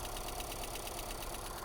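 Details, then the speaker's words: Salvage Mazda with Skyactiv-G engine, low on fuel, oil present: quiet idle with a light, quick, evenly spaced tick keeping time with the engine, near the top end; engine ticking at idle, cause unknown. "there's a little tick tick tick tick tick a tickety tick tick from like right there"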